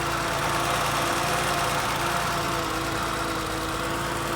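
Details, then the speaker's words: 1979 BMW E12 528i four-speed at idle: steady, quiet, not overly ticky engine under a constant loud whooshing roar; clutch fan suspected stuck on, not confirmed. "clutch fan is stuck on it looks like or it sounds like but the engine's really quiet"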